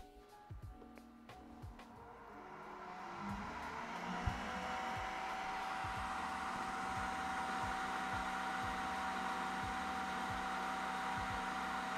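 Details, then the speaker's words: Creality K1 side cooling fan with no muffler: loud steady airy whoosh with a clear whistle, peak frequency about 1 kHz; normal running, just noisy. "we're getting about 1 KZ from the pan that's the peak [Applause] frequency"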